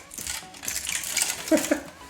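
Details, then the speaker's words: No-power retro console being opened: shaking it gives loose light clinks and sharp rattles from cracked plastic broken inside, apparently damaged in transit. "oh there you go it's broken that looks to me like it's got broken in transit yeah you can see there the cracked plastic inside"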